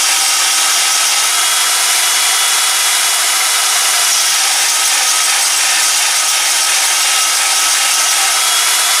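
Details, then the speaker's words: Ozito DBS-095 drill bit sharpener, a couple of years in use, running normally: steady, even, high-pitched gritty hiss of the stone on the bit, no deep hum or catches. The over-ground bit is only starting to sharpen at the leading edge. "It's not particularly loud, but it's loud enough to be annoying."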